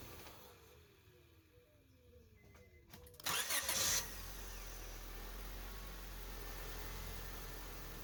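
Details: 2005 Honda Civic after starter replacement: brief clean crank under a second, catches at once into a quiet steady idle; new starter working, problem fixed.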